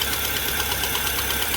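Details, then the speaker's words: Fiat Palio Fire 1.0 8v idling with a burnt, leaking exhaust manifold gasket: sharp, rapid ticking that sounds like engine knock; the leak was confirmed with soapy water bubbling at the manifold. "E então começa a vazar aqui Oi e aí começa a fazer aquele barulhão como se tivesse bater no motor e eu vou ligar o motor lá para vocês ver barulho que ele faz um E aí liguei uma flor olha o barulho ele bate como estivesse batendo"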